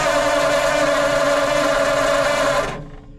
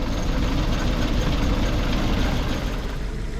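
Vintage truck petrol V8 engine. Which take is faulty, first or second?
first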